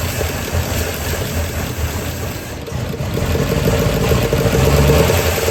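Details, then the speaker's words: Small block in 1972 Chevy C10 after starter swap, distributor timing not set exactly: idles unevenly with about three or four lumps a second, beat wandering and hunting; owner suspects timing; rough idle. "it runs it ain't happy but it runs I'm sure a lot of that has got to be time and timing issues cuz I know it's not set exactly but cranked up and ran"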